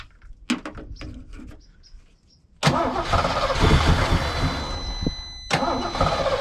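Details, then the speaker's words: 1989 Ford Mustang GT 5.0 Fox body on jump pack: faint clicks then labored uneven cranking about four turns per second, dies when given throttle; weak cranking, suspected running out of battery power. "Maybe not enough. We're actually starting to run out of juice."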